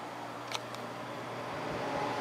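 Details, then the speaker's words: Idylis 12,000 BTU portable air conditioner, evaporator fan at low speed: very quiet steady low hum with soft airy hiss, no rattles; fan running smoothly. "That's low speed. It's very quiet."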